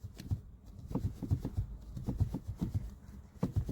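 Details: Tata Altroz DCA with the door closed and a power window partly lowered; light, irregular ticking and buzzy rattles come in small clusters from the door, as the glass chatters loose in its run. There is no noise with the window fully closed.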